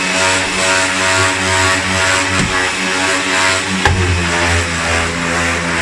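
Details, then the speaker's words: Refurbished 1980s Hoover vacuum cleaner, made in Mexico: steady high motor drone with an odd humming overtone and brief clunk once the hook is attached; owner notes a known unresolved fault, cause unclear. "But as soon as that hook goes on, it makes that noise, and I just haven't. Yeah, there's something squiffy with that as well."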